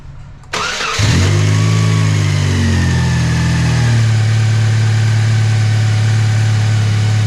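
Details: 2003 Chevy Cavalier four-cylinder, first start after work with temporary intake: cranks, catches cleanly, settles to smooth steady idle with faint constant whine on top; owner locates it coming from one engine-bay spot, cause unconfirmed.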